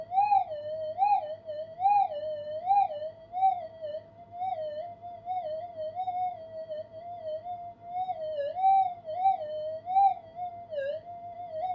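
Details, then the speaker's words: Upgraded Minelab GPX 5000 on full gain, double-D coil, tested in a workshop: wavering tone with small target peaks and dips buried in background interference warble, making faint gold targets hard to pick out. "I can hear the peaks and dips. If that background warble wasn't there, it would be a lot clearer, of course."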